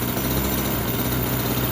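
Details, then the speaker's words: Redcat Rampage XR two-stroke gas rally car, first tank of fuel at break-in, just started after priming and choke: fast, even buzz at idle, steady rhythm with no misses or rattles, quieter than a Rovan. Healthy. "There it is. Definitely a lot quieter than the Rovan, but still makes a pretty nice noise."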